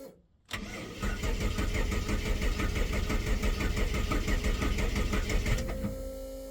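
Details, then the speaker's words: Barnfind Ford AU Falcon drift car, first start attempt after priming, nearly empty E85 tank: steady rhythmic cranking about three beats a second that never catches; cranks, won't start. Owner suspects fuel, spark or gummed-up spark plugs, unconfirmed. "Sounds like it needs more fuel. Or spark. Maybe I've got failed plugs."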